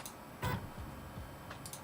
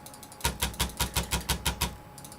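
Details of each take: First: AWD Voron V0.1 3D printer, Y axis homed and jogged; soft low stepper hum with faint ticks and brief chirps as the axis accelerates and slows, quiet and even: normal stepper motion. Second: AWD Voron V0.1 3D printer, X axis moving back and forth: rough, notchy buzz pulsing about three times a second, super chunky; Y axis sounds quiet; X motors suspected to be fighting each other, not confirmed.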